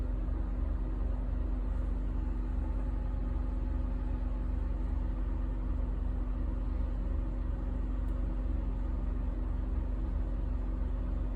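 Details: 2007 Honda Ridgeline V6 on cold first start-up: a low, rumbling idle with an uneven, stumbling misfire beat. The owner reports the rough running and misfire happen only when cold, with a VTM-4 light.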